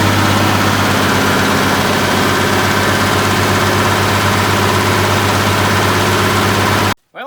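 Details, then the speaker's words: 1972 Massey Ferguson 1100 94 hp diesel tractor, long-abandoned, just started with starting fluid: even, steady chug about four beats a second with no misses or knocks; healthy idle. "there you have it. She's running."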